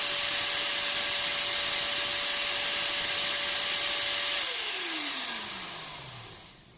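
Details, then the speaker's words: Multipro ESP99HP electric spray gun motor, before bearing replacement, power draw about 420 W dropping to 410 W: steady high whine over airy hiss sliding smoothly down as it coasts to stop; motor and bearing still good. "berarti sebenarnya berarti eee motornya sama si sangat bagus masih sangat bagus dan bearing-nya juga masih bagus gitu"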